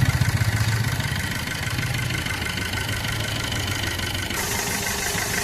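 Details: Maruti Suzuki Swift diesel, about 1.44 lakh km, after timing chain kit replacement: steady, even idle with no knock or rattle, stable rpm, no warning lights, under a hiss of rain; normal idle.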